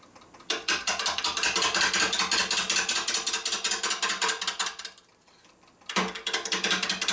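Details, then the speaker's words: Bone-dry maple burl bowl blank on a lathe: fast chatter of tool-on-wood ticks, two to three a second, with a slight kick as the gouge hits the uneven burl corner on an interrupted cut; turner eases in slowly. "couldn't listen couldn't listen that's White's it's once a kick slightly and say back knees the speed up just a little bit fast"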